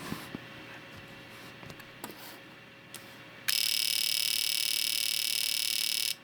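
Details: Known-working fuel injector pulsed on a repaired injector tester: crisp, fast, even ticking at about three to four per second with a bright buzzy edge. The injector opens and closes normally and the repaired tester works.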